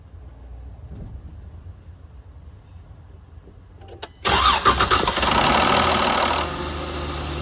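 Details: Chrysler Pentastar 3.6L V6 in a 2017 Dodge Ram 1500 regular cab: quiet wait, then a loud harsh rasping cranking noise as the engine starts and fires, easing to idle.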